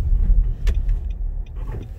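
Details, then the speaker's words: 2016 Nissan Rogue AWD, road test after fixing a rattle/scraping noise under hard acceleration with fender washers and fluid film: steady low engine and road rumble, no metallic buzz or rattle. "all right we're on our test drive it's fixed gaze that was all it was no more rattle under acceleration"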